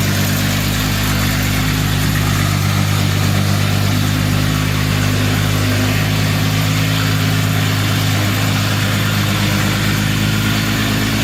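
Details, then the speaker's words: 1952 Jaguar XK120 FHC straight-six, first start in 40 years after Lucas C45PVS generator rebuild, starting carburetor in use, good oil pressure: even, steady idle with smooth low hum, no knocks, misses or ticks; healthy. "Smooth, isn't it? It's awesome. Wow. Look at that. First start in 40 years."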